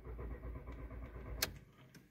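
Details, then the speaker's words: Volkswagen Jetta A4/MK4, intermittent no-start after short trips: even starter churning about a second and a half that never catches and dies off; cranks but won't fire. "queda así intenta dar marcha pero no existe el famoso encendido vuelvo a encender"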